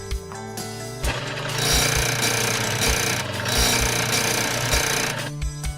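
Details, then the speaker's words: Snowie 3000 electric ice shaver powered on for the blade alignment test after a blade change: motor hum breaks into harsh metallic grinding with rhythmic knocks, from the misaligned blade or housing touching the paddle wheels. "the machine is not to be operated with a misaligned blade the grinding occurs when the blade or housing is touching the paddle with"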